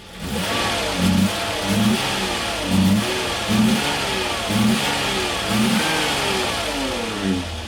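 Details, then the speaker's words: Peugeot 605 3.0 V6 PRV, after a difficult push-start, nearly stalling: revs sag and pick up roughly once a second, uneven and hunting as if about to die; rough running, cause unknown. "je ne sais pas pourquoi elle tombe aussi mal Elle est pas contente. Pas contente du tout."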